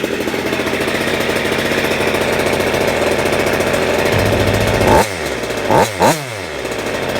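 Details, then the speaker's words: Goped Super Xped G290RC two-stroke, 2 hours on engine, Sikk Toys pipe with silencer and bigger manifold spacer, push-started: buzzy idle then clean sharp unloaded blips peaking at 9,000 rpm, running great. "That was 9,000. That's the highest she revved, but that's okay because it's not loaded. Running great."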